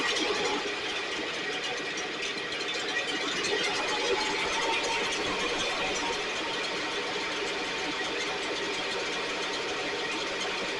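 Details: STIHL backpack blower (believed 6R450), after cleaning and repair; idle previously fluctuated and couldn't be adjusted. High buzzy two-stroke, fairly steady note with faint burble; running much better but still loading up slightly, carbon buildup inside suspected.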